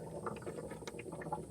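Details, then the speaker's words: Budget 4WD with the temperature gauge reading about 85: uneven bubbling and gurgling from the cooling system, sounding like boiling without overheating. A bad radiator cap, radiator or head gasket is suspected. "sounds like it's boiling but it's not actually hot the temp gauge is only reading what like 85 85 yeah yeah so either that Cap's bad The radiator's Bad or the head gasket is bad one of those things is bad"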